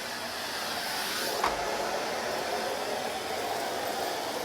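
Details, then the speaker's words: Smooth, constant airy whoosh from a new Henry Allergy HVA160 canister vacuum using the alternate floor tool. There is no squeaking, unlike the docking floor tool, whose out-of-spec squeegees scrape. Runs normally. "thankfully the other floor tool doesn't make that sound i want you to hear no squeaking sound there"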